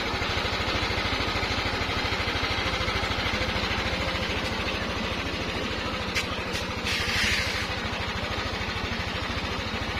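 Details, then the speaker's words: Yamaha NMAX 155 scooter after repair at a Yamaha service center for a loud engine noise: steady, even firing pulses at a soft idle, and the helicopter-like chopping sound is gone; quiet, smooth running. "nawala na po yung tunog helicopter ng ating motor kakadwa"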